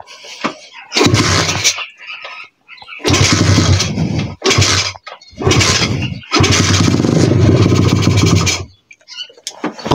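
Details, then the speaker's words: 125 cc pit bike single, fuel on and choke applied, catches in rough bursts and dies back between them, never holding steady idle; owner suspects the carburettor, not pinned down. "Víš, to to dělá takovjle divnej zvuk a já nevím proč."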